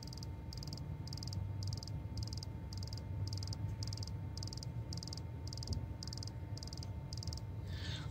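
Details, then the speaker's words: 2012 VW Tiguan TSI 4Motion, engine off, key in first position: crisp insect-like ticking about two clicks a second from the high-pressure fuel pump regulator, stops when disconnected; high-pressure fuel pump regulator clicking. "so the other noise is a clicking noise it is coming from here so I understand this is a high-pressure fuel pump and this one here is a regulator for it"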